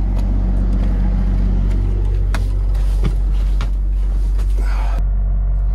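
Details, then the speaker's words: Diesel generator in a bus RV conversion, mounted on a vibration pad, heard from inside the bus: deep steady drone with loose irregular rattles as vibration shakes the floor panels; owner plans to insulate under the floor. "Yeah, it's still, you can hear it's rattling these here. So I need to insulate underneath this floor."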